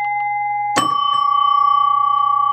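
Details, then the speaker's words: 1967 Williams Magic City electromechanical pinball after fitting new replacement coils in the big bell and small bells: one crisp bell strike with clean sustained ringing over a low hum, loud; chimes working normally. "all right here are the new coils in uh the big Bell and the small bells and they work so woo loud when you're in here"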